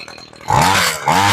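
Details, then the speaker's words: Homelite Mighty Lite string trimmer two-stroke with replacement carburetor, after sitting a long time, primed and started on choke, choke now off: two short buzzy revs that sag hard between blips, barely holding on; idle screw needs turning up a touch. "Okay, we turn the choke off. Okay, we need to turn the idle up just a touch."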